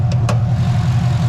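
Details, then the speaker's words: LS-swapped Nissan 350Z, first run after fuel issues were fixed: deep, even idle with a steady low rumble, no lope or chomp, revs cleanly; normal idle. "look no more fuel finally sounds good finally looks good it finally revs"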